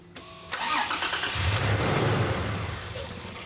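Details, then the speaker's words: Truck cranking but not starting, starting fluid sprayed into intake: short crank, engine catches and runs roughly a couple of seconds then fades; runs only on starting fluid, fuel delivery fault, fuel pump next. "Well, there we go. We got a nice little bit of running cycle there. So obviously fueling's an issue, so let's move on."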